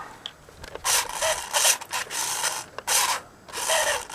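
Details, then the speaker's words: 1998 Radio Shack Hot Machine RC truck, unused for years: short bursts of dry, raspy scraping as the motor spins up and stops; owner suspects the motor needs lubrication. "uh yeah that motor doesn't sound so good need some lubrication"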